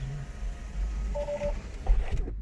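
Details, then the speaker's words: 2014 Tesla Model S salvage, after suspected motor overheating shutdown and an update possibly interrupted by low 12-volt battery: single short beep over cabin rumble when trying to charge, car refusing to charge, cause unconfirmed. "You can hear it beeping. The car will not let me charge at all."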